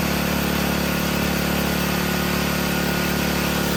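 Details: Briggs & Stratton 5 hp generator engine after carburetor repair and adjustment, holding a steady, even beat at constant pitch with no surging or hunting; running normally.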